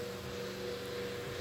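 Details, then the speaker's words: Electric fan that had made horrible noises and ran in fits and starts, with a suspected stripped gear, after oiling: smooth, steady mid-pitched hum with no scraping or stuttering; normal running. "well we got it running good now i just uh it was making horrible noises and kind of running at fits and starts i uh shot some oil in it and seems to be happy now"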